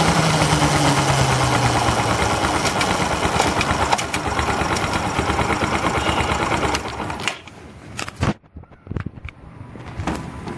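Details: Bajaj Discover 125 ST idling: fast metallic rattle, about three ticks a second, over small single-cylinder idle; terrible drive chain noise.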